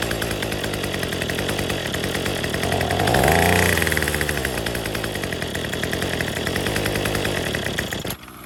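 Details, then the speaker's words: Troy-Bilt TB35 two-stroke weed eater with new untuned aftermarket carburetor, new fuel lines and filter, fresh gas, on full choke: buzzy engine runs unevenly, surging up in pitch then sagging; rough running, carb tuning suspected needed. "Probably gonna have to tune this machine. It's pretty normal with these aftermarket carburetors."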